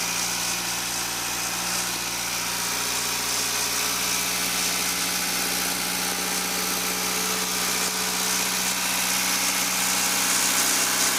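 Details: Toyota MR2 2.0 L 16-valve after repair of a no-start caused by the O2 sensor wire chafing on the body and blowing the 15 A EFI fuse; wires taped, fuse replaced. Steady, even idle with a bright hiss over a smooth hum, never stumbling.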